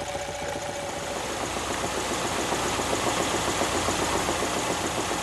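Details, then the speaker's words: Ford engine at idle: steady regular knock roughly three to four per second over the idle, worse at 2000 rpm; main bearing knock from excessive wear. "when there's a lot of wear it makes that kind of knock when the engine's idling Jim"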